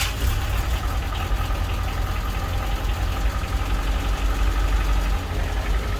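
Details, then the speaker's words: Rover 216GTi with an ongoing running fault, started during troubleshooting, no scan tool capability: heavy low rumble with uneven lumpy idle beat, unchanged from before; rough running, cause still unknown. "just for a second then i thought it was a bit better but i don't think it is"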